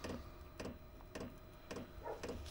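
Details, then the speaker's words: Chinese diesel garage heater fuel pump ticking softly and steadily about twice a second during a repeated start attempt after ignition; heater showing fuel-related error codes E8 and E10, suspected from installation changes. "all right fuel pump just kicked down again looks like it's going to go through this process one more time fuel pump is on"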